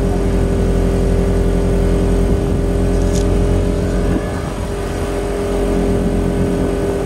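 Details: Quieted diesel generator in a bus RV conversion on external fuel, compared under load with the old inverter generator: loud steady drone, low even rumble, holding pace as load comes on; normal running.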